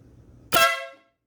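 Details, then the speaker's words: Aftermarket train/air horn with relay kit newly installed on a motorcycle, battery-wired, temporary ground: a single loud, blaring half-second blast with a clean tone over faint idle; horn working normally and very loud. "Yeah, it definitely works. Yep. Dang, that thing is loud."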